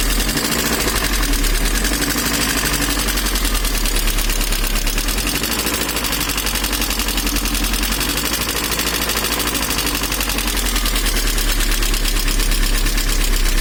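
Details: VAZ 2112 engine at idle: rapid, sharp, regular knocking, heard more from the manifold side, stays even throughout; engine knock, cause unknown.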